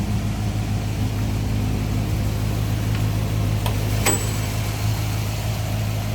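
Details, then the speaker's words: 1957 Ford Fairlane 500 Skyliner with a 312 V8 and an added aluminum radiator, idling in neutral with the hood up: low even burble at steady idle, no misfire, knock or hunting, runs smoothly. "Listen how smooth that runs."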